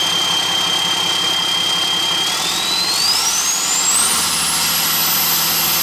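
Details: Hyster with Cummins 8.3 (505 cid) diesel, HX40 turbo with machined small 6cm exhaust housing, no load: high whistle climbs sharply as the engine spools up; about 35 psi drive pressure for under 20 psi boost, housing far too restrictive, later replaced by HX55 11cm.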